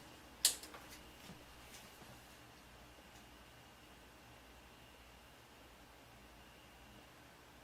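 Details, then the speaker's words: ADA MP2 guitar preamp after replacing R913 to fix a hum: power-on click, then only a soft steady hiss with noise gate off, no buzz; owner suspects the hiss comes from old capacitors. "Yeah, I don't hear that buzzing. Let's edit or take the noise gate off. Okay. So no more loud humming sound. Just sort of a hiss."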